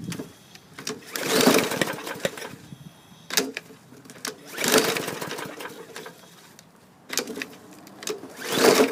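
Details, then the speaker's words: Bolens push mower (2014 or 2016, non-runner from trade, rodent-chewed gas tank) with starting fluid: three recoil pulls spin with no firing, cranks but won't start; fluid smelled at exhaust, owner suspects safety brake cable issue. "uh oh i can smell the starting fluid through the exhaust but we don't have any action this may be dead"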